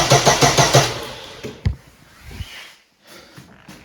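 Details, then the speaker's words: Daewoo Lanos 1.5 towed in as a no-start, with power and control reaching the fuel pump relay but no power at the pump itself: about a second of rhythmic starter cranking that never fires; cranks, no start. "як бачимо на на реле у нас повністю збу приходить ну управление все у нас є Ну на самому насосі у нас нема"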